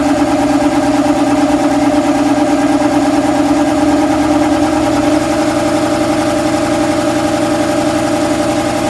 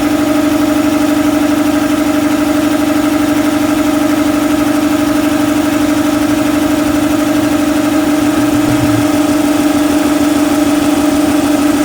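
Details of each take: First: Shop air compressor starting with a loose drive belt showing too much deflection: the motor drones sluggishly for about five seconds, then the tone steadies as the flywheel gets up to speed and the belt stops slipping. Belt tension needs correcting. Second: Shop air compressor after belt-slippage problem (owner suspects belt tension made startups sluggish), Gates 6857 belt: steady, even hum at constant pitch with no squeal, slipping or labouring; sounds solid, normal compressor run.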